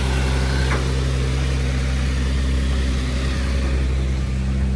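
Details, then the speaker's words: Salvage Audi S4 at Copart, first start, belly pan missing, steering defect code showing: smooth, even idle with a steady low hum, no knocks or ticks; engine sounds healthy, normal idle. "car sounds good so far this is really on here this is really stiff so that confirms that engine sounds healthy"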